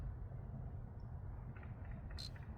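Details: 2024 Ford Super Duty F-250 7.3, parked with engine off: a single brief high chirp over steady low outdoor rumble, heard near suspected battery-draining component; owner suspects parasitic draw causing repeated low battery, cause not confirmed.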